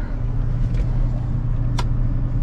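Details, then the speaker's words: Combine on start-up before harvest: the engine holds a low, steady drone and never picks up revs because high throttle does not kick in; the fault was traced to the throttle solenoid under a plate in the hopper bin. "So the high throttle is still not working."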